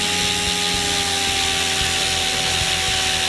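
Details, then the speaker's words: Goblin 500 electric helicopter, Castle Talon 90 ESC reprogrammed to Heli Fixed End Point mode: smooth, steady high motor and rotor whine, no rattle or surging, returning to normal mode; head spinning normally, problem fixed. "and back to [Music] normal spin it back down it looks like that took care of the problem"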